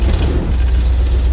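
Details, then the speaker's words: 1970 Dodge Challenger V8, off the road 15 years and just revived, now driving with power steering working, soft clutch and brakes: deep, steady rumble with an even beat, no knocks or misses, running healthily like a muscle car should. "Yeah, it's running! That's how a muscle car should sound."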